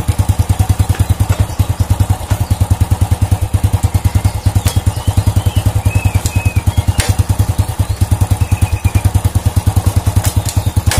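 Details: Old Honda Supra motorcycle single-cylinder after repair of a klotak/gletok engine knock: even thump about three beats a second, steady and clean, no clatter. Cause was a loose clutch housing (mangkok kopling) with rivets not fitting its holes; now fixed.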